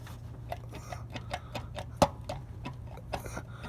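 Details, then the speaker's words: 2014 Honda Odyssey with both hub bearings already replaced without curing the noise: quiet, rhythmic ticking, a few clicks a second, traced to a worn axle intermediate shaft bearing. "I think they are they are replacing the wrong bearings. And that's a axle shift bearing which is probably been completely gone out of here."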